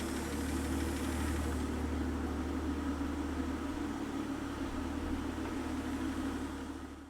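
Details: Mercedes-Benz W124 300CE turbo, M103 engine after full top-end refresh (timing chain, MLS head gasket, water pump, tensioners, belt); low smooth idle hum holding steady then fading, no tick or knock; normal idle.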